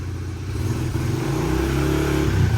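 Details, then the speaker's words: Honda CRF70, stock intake and exhaust before modification, exhaust pointed out of garage: starts first kick, settles into an even idle, then smooth clean throttle blips; runs great but quiet, healthy stock bike. "Then you can see the bike runs great. First kick. But you can hear it's a pretty quiet bike."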